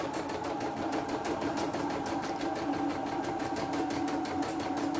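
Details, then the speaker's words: CNY E960 embroidery machine that had jammed hard with a clattering noise, test run after replacing the motor, bobbin case (sekoci) and fan: fast, even stitching rhythm and steady motor hum, running normally. "Tapi langsung jalan, langsung normal ya."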